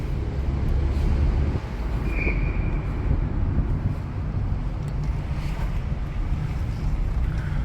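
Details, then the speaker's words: 2007 Hyundai Elantra GLS, about 114,000 miles, low-speed drive: only low even rolling rumble and faint tire scrub on concrete, no creaks, squeaks or rattles from body or trim; well kept. "This thing was really well screwed together when it was built, and through some genuine care, it has been kept that way."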